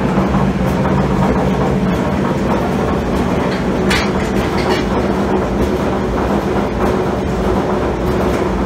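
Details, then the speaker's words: Admiral AED4675YQ1 dryer running, blowing cold air: loud steady rumble with rapid clattering rattle; worn drum support bearing and seized idler pulley, fixed by replacing tub bearings, belt and tensioner. "like so working but uh definitely got some some noise issues I don't know if there's a um bad bearing or if it needs greased or what"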